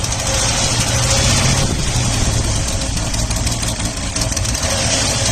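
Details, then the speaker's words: 1979 Opel Monza petrol inline-six, barn find, injector plugs pulled one at a time with a noid light: the engine picks up after a plug is refitted but idles with an uneven loping beat, still misfiring on one cylinder, traced to injector 6. "You'll hear that pickup now. Obviously it's still misfiring a 1 cylinder."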